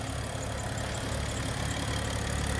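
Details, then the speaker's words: BMW 335i, high pressure fuel pump failing with codes, warm: even, smooth idle with light fast sewing-machine patter and no misses; engine runs well. "car runs flawless, man. Car runs really flawless. That sewing machine sound, y'all know how that go."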